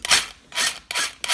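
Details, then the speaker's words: Axial SCX10 Deadbolt 1/10 rock crawler after flipping and landing under throttle: four harsh rasping grinds on throttle blips, won't drive; owner suspects stripped spur/pinion gear in the transmission. "sounds like it's stripped out the gear and they're pretty much"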